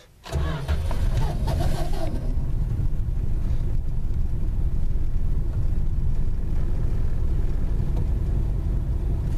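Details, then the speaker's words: 1974 Plymouth Valiant started for its first drive in 10 years: a harsh, rattly crank of about two seconds before it catches. Owner suspects a dried-up starter needing removal and lubrication; noisy starter cranking. "That noise is the, I guess that's the starter making that racket. It's probably kind of dried up. I guess I'll eventually need to pull it and lube it."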